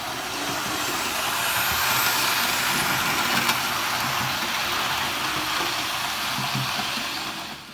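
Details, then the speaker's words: Hornby OO scale Flying Scotsman locomotive on a better controller replacing the set's cheap one: soft even motor hiss and steady hum, no surging or stuttering; much quieter and smoother, a decent normal runner. "And, as you can hear, or not hear, it is much quieter and much smoother. And when paired with this controller, or any other good controller, it is actually a pretty decent runner."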